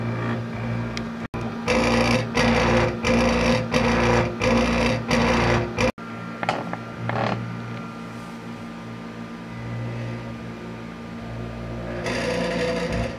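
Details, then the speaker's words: Disco scanning club light with eight stepper-driven mirrors: loud rhythmic buzzing chatter about 88 per minute as mirror moves; one stepper very noisy, another not indexing; traced to loose mounting screws. "all of them are working here this one's making a lot of noise and this one's really not indexed properly"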